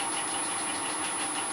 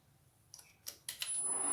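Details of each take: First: Two helical gears, bronze and steel, cut on an Elliott 10M shaper and run in the mill spindles at the quietest spacing (about 0.721 in): steady, even whirr with a fine high tone and no grinding; gears mesh smoothly. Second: Bronze and steel helical gears cut on an Elliott 10M shaper, mounted in a mill and moved closer: after handling knocks, a steady gritty grind with a thin high ring as they mesh too tightly. Centre distance then backed off for quiet running.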